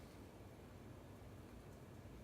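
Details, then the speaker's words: April 1985 Casablanca Zephyr 52-inch Inteli-Touch ceiling fan, running after its loose, drooping flywheel was tightened on the motor shaft with an Allen key. There is a quiet, even low hum with no ticking, wobble or scraping. It runs normally. "It turns out that it was loose and drooping down on the motor shaft. So I was able to get an Allen key and fix that. And now it runs perfectly."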